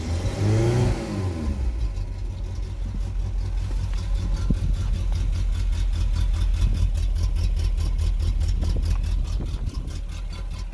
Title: talbot express petrol misfire when cold